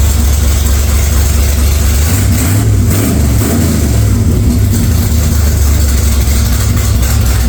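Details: 1946 Chevy truck rat rod engine: heavy low rumble from the open exhaust with a couple of quick revs midway, pulling up smoothly; nothing wrong, just loud; oil pressure took a while to come up after start-up, cause unknown.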